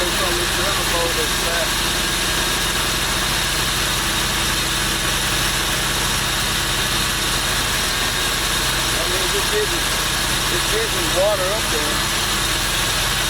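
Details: V6 truck engine swapped into MerCruiser ski boat, first start: even, steady idle with no knocks or misses under constant water wash and background hiss; sounds healthy.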